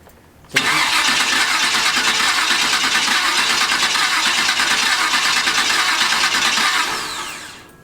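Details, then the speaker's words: Chevy C10 with a TH400 transmission; the starter cranks steadily at about three turns per second without firing. Crank no-start from fuel starvation, no residual fuel; the pump must pull fuel up from the tank. "is no fuel like in there like nothing residual we're nothing like it's all gone well let me give it a second"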